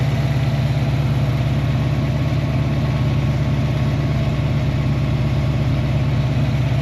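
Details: Foxbody Ford Mustang at warm idle with fans on, coolant dropping from 199 to about 186°F, oil pressure 47–48 psi, good fuel pressure; smooth, even low idle with no ticks, misses or hunting, healthy.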